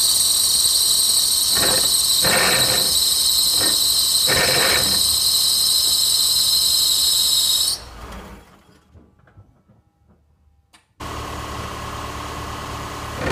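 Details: 2003 PT Cruiser GT manual: harsh, high-pitched metallic grinding from the transmission when releasing the clutch, then quiet; hub bearing replaced about 3.5 weeks earlier. Cause not confirmed.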